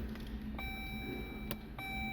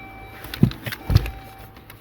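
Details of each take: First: 2013 Dodge Journey with ignition on after blend door actuator replacement: only dash chimes and a low hum, the earlier tapping behind the dash is gone; actuator now quiet. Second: Tapping from a blend door actuator, the one just past the blower motor among three, under the dash of a 2013 Dodge Journey with the ignition on: a few soft, dull taps as the actuator slips.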